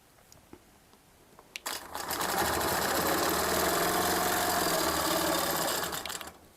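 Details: Longarm quilting machine stitching ruler-guided feathers on a quilt: steady, even stitching chatter that runs up smoothly and winds down cleanly, with no knocks or skips. The owner elsewhere suspects the needle needs changing, but the stitching sounds normal.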